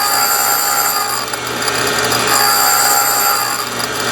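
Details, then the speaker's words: Valve refacing grinder: stone fed toward the rotating valve, grinding comes in regular bursts about four a second with a ringing metallic edge, each burst as the dog tooth grabs another gear; contact pattern widening, normal stepwise feed. "the reason that you're hearing that noise in little burst is that it it coincides with each uh time that the tooth on the dog grabs another gear and pulls it in"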